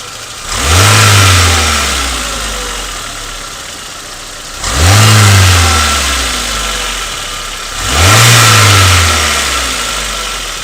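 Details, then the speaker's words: Renault Logan/Lada Largus petrol engine, 227,000 km, valves adjusted 30,000 km earlier to 0.15/0.25: light metallic rattle from the timing end only when revs drop after throttle blips, none at idle or high rpm; owner suspects a loose valve or worn adjusting screws. "На мой взгляд, звук больше похож на неплотно закрытый клапан, но с оговоркой."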